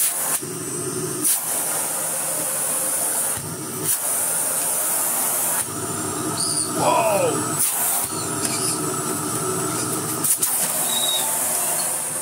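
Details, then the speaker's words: Philips Blue Magic Silence TC739 vacuum cleaner switched on: a strong steady rush of air and a hissing hose over an even motor note, no rattles or grinding; the motor works normally. "the sound of the air coming out of the hose is more than the sound of the motor coming out of the vacuum cleaner"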